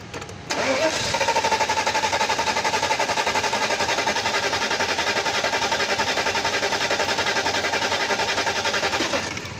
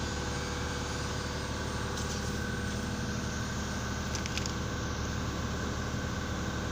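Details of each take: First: Mercedes S500 (2000-2006 S-class) that won't start or starts then dies: starter grinds at an even churn for seconds but never catches; fuel pressure low, both fuel pumps failed. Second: Mercedes S500 (2000-2006) previously cranking but not starting, with fuel pumps found bad and low pressure: steady even idle hum with no knocks, misses or stumbles; running smoothly.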